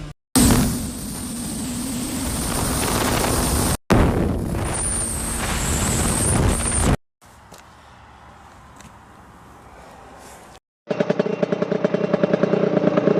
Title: test drive after rebuild